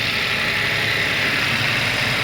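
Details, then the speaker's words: 2022 Toyota Yaris Hybrid after a booster start with a flat secondary battery: the petrol engine takes over with a steady, even idle, constant low hum under hiss, no misfire or knocking; running normally while the battery recharges. "normalement le moteur thermique est censé prendre le relais c'est le cas"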